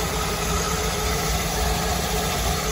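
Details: Twin Crusader 350 marine engines in a Pacemaker 36 SF, after fixing overheating caused by broken belts and a torn hose: steady even idle with a smooth low rumble, no knocking, smoke or leaks; water pump spinning; healthy.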